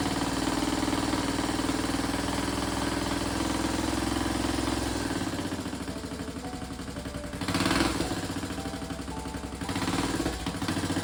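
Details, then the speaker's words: 1995 Suzuki LS650 Savage chopper with a custom straight pipe, first start after battery charge: loud, rapid popping single-cylinder idle, steady and even; normal idle, possibly lean or rich. "oh the engine Springs to life and it's running pretty well but I must admit it's loud as bloody hell"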